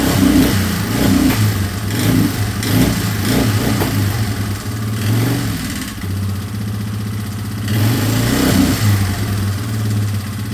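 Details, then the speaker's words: 2003 Yamaha Wolverine quad with fuel tank refitted and no longer leaking after fuel-leak repairs: steady, even single-cylinder putter with a few light throttle blips, no misses or knocks; runs clean and healthy. "Runs pretty good."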